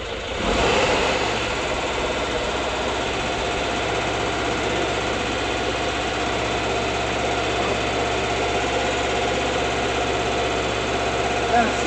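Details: 1979 Volkswagen Bus air-cooled flat-four, running again after failing: steady, even idle with smooth rumble, no knocks or misses; not yet tuned, hydraulic lifters still pumping up; normal idle.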